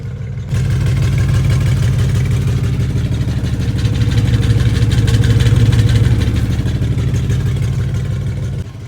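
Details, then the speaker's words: After carburetor adjustment, the engine idles steadily and doesn't sound bad, but a faint loose metallic rattle rides on the exhaust from the back. The owner suspects loose muffler internals; not confirmed. "don't sound bad but i think we got some loose muffler issues just hear something rattling back there like inside a muffin"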